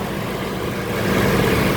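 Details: Toyota Innova gasoline after unplugging a power outlet suspected of shorting, which had caused crank-no-start: engine catches and settles into a steady even idle with no stumble or knock; runs normally.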